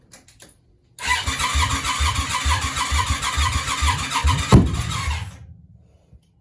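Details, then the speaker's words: Yamaha Virago 535: rapid cranking for about four seconds with a sharp backfire bang, no start. Owner suspects the rear cylinder has low compression or valve issues and can't see why the front cylinder won't fire; unconfirmed. "time it sounds like it wants to go but let's be honest it's [ __ ] not just been starting it till the start motor's now H stinks are fueling there just getting just big backfires and stuff and she's all Tim correctly I believe that rear cylinder's got to be [ __ ]"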